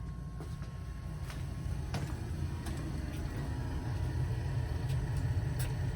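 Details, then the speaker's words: Bell & Gossett circulator pump on a boiler, after fixing, running with a steady low hum, even churn and a few light ticks, no grinding or rattle; sounds as it normally does, healthy. "no that's how it normally sounds"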